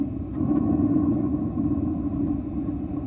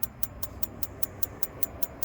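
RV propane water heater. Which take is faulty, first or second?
second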